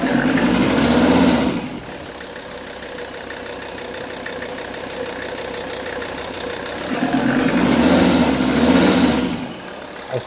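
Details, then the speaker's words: Mercedes-Benz S123 300TD turbo diesel, 720,000 km, warm, likely old oil and filter, oil pressure 2.5 bar at idle: revs rise smoothly, hold, then drop back evenly with no knocks or rattles; pressure judged fine. "the oil pressure is now reading 2.5 I'd say arrival I'm just gonna rise the revs a bit"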